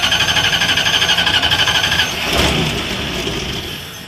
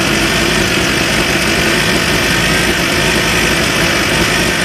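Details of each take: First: Van that died after idling 2-3 minutes, now restarting: steady high-pitched hiss or whistle over rhythmic cranking about four beats a second until it briefly catches; owner suspects a vacuum line or exhaust leak. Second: Van after a new carburetor install: a loud, steady idle with an even buzz and rattly vibration on top, with the distributor cap visibly shaking. Rhythm is smooth, and no tailpipe smoke now versus earlier white smoke.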